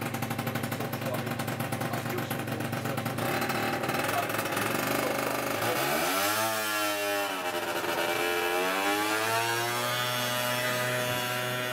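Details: Peugeot Speedfight 50cc two-stroke scooter after a full fix from non-runner (carb, jets, variator, rollers, exhaust): a crisp buzz climbing and falling cleanly with the throttle, no misfire or bogging; it runs healthy.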